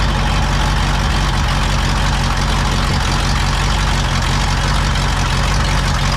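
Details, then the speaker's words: Pontiac V8 on first start with a freshly rebuilt Holley 600 vacuum-secondary carb replacing the Quadrajet gives a deep, lumpy idle that lopes and stumbles; new dry floats stick and the float level is high, flooding it, with retarded timing. "running like crap. That's why. Sometimes those floats just stick. They're new and dry."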